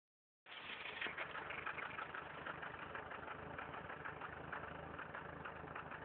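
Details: Factory turbo Toyota 4Runner idling with an uneven, erratically pulsing exhaust beat; revving above 3000 rpm clears the pulsing briefly, then it returns; rough idle.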